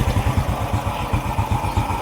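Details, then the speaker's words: Motorcycle idling after the cam chain tensioner was replaced again with new: steady even low thump, noise fixed. "So ayan pinalitan na ng bago. Start. Okay. Ayan goods na."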